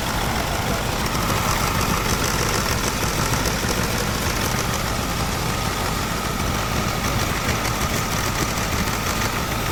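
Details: Mahindra Scorpio mHawk diesel, first gear under clutch load: a steady tak-tak rattling knock that went silent when the number 2 injector connector was unplugged.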